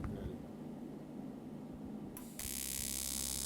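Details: Eastwood TIG 200 AC/DC welder TIG-welding aluminum: quiet room, then the arc strikes into a steady, even high buzz with a faint crackle as the operator waits for the puddle to open before adding filler; a normal AC arc cleaning the aluminum.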